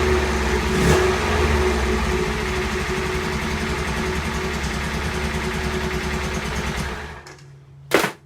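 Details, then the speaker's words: Honda S600 engine: a slightly lumpy, uneven idle before shutdown. The owner says the carbs work but need synchronising. The water pump and cylinder liners are leaking coolant. "I just wanted to make sure the carbies were working right. They are. It just sounds like they need sinking a bit."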